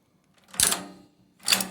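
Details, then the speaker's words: Antique Recording Devices Co. time recording lock on a portable safe, serial 10292, Yale pin tumblers: two sharp, crisp snaps about a second apart as the handle is turned and the key releases; normal lock operation. "when you do that the key automatically releases it's locked position and turn it the other way the unlocked position"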